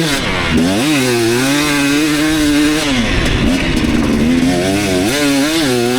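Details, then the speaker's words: 2019 KTM 250SX two-stroke, Lectron Billetron 38 Pro carb, on track: wailing through gears with crackly rattle under heavy load at about quarter throttle; detonation pinging owner blames on lean torque jet, to be richened half a turn. "I thought I remembered it pinging and stuff when I was really high up in the throttle but actually it seems like it's uh when I'm like when it's under a heavy load but I'm only like quarter throttle"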